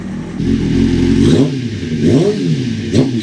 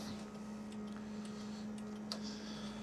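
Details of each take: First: 1996 Suzuki GSX-R750 SRAD track bike with Keihin FCR39 flat-slide carbs, big main jets and an Airtech airtray, already ridden about 100 km that day. Sharp throttle blips rise and fall cleanly, with a slight hesitation at low revs before it picks up. Low-rpm bog, cause not confirmed. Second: 1996 Suzuki GSX-R750 SRAD track bike with Keihin FCR39 flat-slide carbs and big main jets. Fuel pump switched on to prime the carb bowls before starting: low steady hum with faint light ticks in a quiet room. Normal priming.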